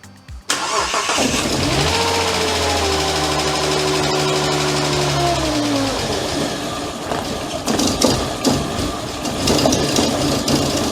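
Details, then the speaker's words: Wrecked car at home, first start after crash damage: cranks, catches and revs unevenly, pitch wavering and sagging before a ragged, lumpy run with a burning smell; battery barely 12 volts; rough running. "And how it sounds is not good. So step 2 to fixing this wrecked car is going to be getting it to run correctly."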